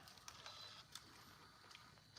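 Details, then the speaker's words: Untested used Canon GL1 MiniDV camcorder just powered on with a Sony tape inside. Faint irregular clicks and whirring bursts from the tape deck start and stop unevenly, then stop, with no error code. Owner suspects the Sony tape; cause unconfirmed. "Oh. The tape deck is like wigging out. Can you hear it? Oh, now it's not doing it."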